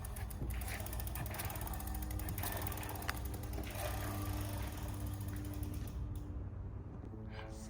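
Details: Flux e-bike, rear wheel refitted after removing a washer beside the brake disc and repositioning the caliper: spun wheel clicks steadily from the freewheel pawls, no brake disc rubbing against the pads.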